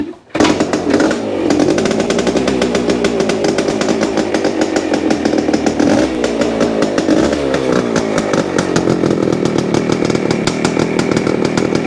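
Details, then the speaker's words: 1973 Yamaha CT-3 175 Enduro two-stroke revving with a harsh, rattly roughness under the exhaust buzz; it idles poorly with occasional misses and the crank shows up-and-down play. Worn crankshaft main bearings, to be replaced. "if you can then it'll give you an indication of what a bad main bearing sounds like in case you ever run into it"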